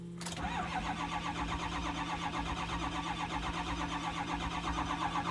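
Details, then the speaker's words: 2004 Ford F250 6.0 Powerstroke diesel after new HPOP, three injectors, o-rings, IPR and batteries; ran, then shut off after 100 m driving: starter churns steadily for 10-20 s, oil pressure builds but never fires; crank no start. "this is what's going on you can see it feels pressure but it won't start so i tried to start maybe [Music] eight times 10 15 20 seconds in in in a in a row it does it don't want to start"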